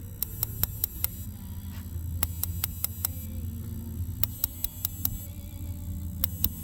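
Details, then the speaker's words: 2006 Vortex toy hauler RV refrigerator not cooling on gas, after flame sensor polished and cleaned: gas on, quick bursts of sharp igniter ticks over a soft hum, then it lights and settles; burner ignites normally. "So gas on, go. Ignition's turning on. Hear it? You can see a little spark in there."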